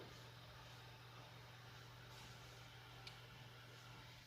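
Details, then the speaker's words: Noisy desktop PC after rerouting the power supply cable (likely 24-pin connector) that was touching the fan: only a faint low hum and soft airflow, no ticking or scraping; fan now quiet. "it's silent so the main problem here was that there was a cable the power supply cable probably the 24-pin connector that was making a contact with the fan when he got it assembled"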